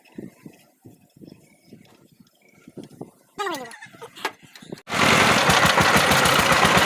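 After some clicks and handling, the tiller fires up into a loud, even chug with no grinding or clunking from the gearbox.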